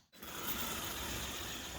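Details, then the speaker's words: JLB Cheetah RC car after motor fix, with 17T pinion: steady high whir with rough grinding edge, constant pitch; drivetrain sounds broken. "Oh, that sounds broke. Hey ho. Still got to ride it back home though."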